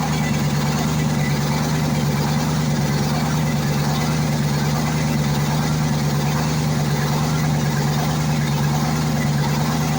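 Smooth, steady V8 diesel idle with an even low beat and no knocks or rattles; engine runs clean and healthy.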